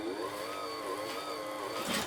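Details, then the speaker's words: Janome Combi sewing machine/serger after motor belt tension adjustment, handwheel held back under full power: motor whine sags and wavers with a faint slipping squeal. Drive belt slips slightly under load. "so you can hear the motor pulley slipping just slightly that's under full power"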